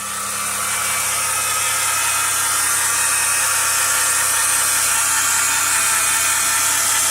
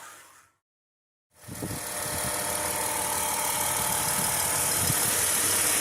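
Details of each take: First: 2010 Chrysler Town & Country minivan, 3.8L V6, 110,000 miles, engine running: steady high whir with gritty rasp, a failing alternator bearing noticed two days after purchase. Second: 2010 Chrysler Town & Country 3.8L V6, 110,000 miles, after replacing belt, idler pulley, tensioner and a faulty reman alternator with a second 160 amp unit: engine catches and settles into a smooth, even idle with no whine or squeal; sounds healthy.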